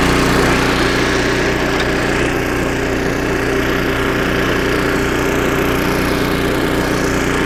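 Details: Snowblower about 25 years old, single-cylinder engine after carburetor rebuild with carb kit and new needle and seat, under load: loud steady drone, no misfires, surging or bogging; normal running after repair.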